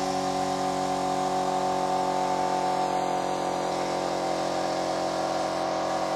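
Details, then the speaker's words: Kraftdekker KD-50L compressor filling its 50-liter tank, reaching 8 bar in about 3 min 19 s: steady even motor drone, constant hum, no knocks or surging; normal running. "now what i'm going to do is i'm going to turn it on and we'll see how long it's going to take for the 50 liters canister to be full then i'll be back"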